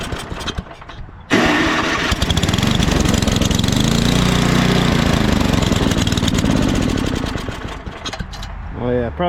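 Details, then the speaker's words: Ariens snowblower, hard to start, electric start: catches and runs unevenly with a wandering beat. Owner suspects water in the gas; it probably needs a carb clean. Electric and pull start both work. "oh yeah it runs it's going to need a carb clean probably"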